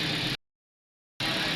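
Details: 2017 Toyota Corolla, 2NZ engine, after repair for two dead cylinders that caused misfire and low power: steady, even idle with no stumble, running on all cylinders; rpm now drops when a coil is unplugged.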